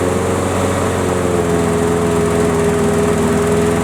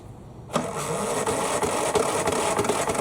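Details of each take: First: Craftsman riding mower, model 917374552, that would not start, refuelled and started on the key: steady, even single-cylinder drone at constant speed with no misfires or surging; runs properly, battery seems to need charging. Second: Craftsman mower that won't start, compression still 60 psi, tried outside without the air cleaner: starter spins the engine with steady chugging about three beats a second, never fires; carburetor suspected next.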